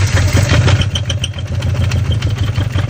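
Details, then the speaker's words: Subaru BRZ at 140K miles that threw an oil light on the highway a day after oil was added, then a check-engine light, then died. It now runs only about 5 seconds with a loud, sharp metallic rod knock six to seven times a second; a spun bearing or crank damage is suspected. "So I think the culprit is a spun bearing or something to do with the crank, because she turns over, she's, you know, stupid rod knock. Like it's horrible."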